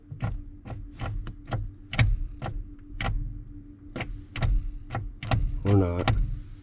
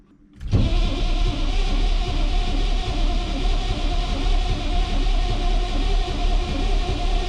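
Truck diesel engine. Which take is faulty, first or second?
second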